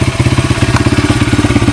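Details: 1994 Honda XR100R single after carburetor rebuild: crisp, regular thump at steady idle with no misses or stumbles; normal idle.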